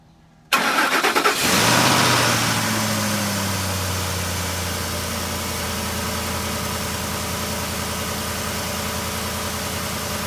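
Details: Ford 5.4 after timing chain replacement: brief crank, quick catch, revs flare then settle to steady even idle, no rattle or knock.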